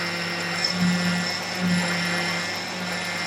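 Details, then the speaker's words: 1999 Hyundai Sonata makes a steady, rough grinding drone with a low hum underneath while the steering wheel is turned; the power steering pump has possibly gone bad and gets replaced. "it's a possibility that the power steering pump has gone bad"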